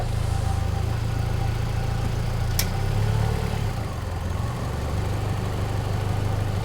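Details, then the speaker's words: 1993 Ford 2.3L Lima engine, first start, cold, 122 degrees: put in gear, idle drops from 950 to about 700-780 rpm with lumpy vibrating throb, not stalling; rough idle in gear, cause unknown, code scan planned. "See how it starts vibrating and it falls down to 700. 780. I mean, it's not stalling out or anything, but it shouldn't vibrate like that when it's in gear."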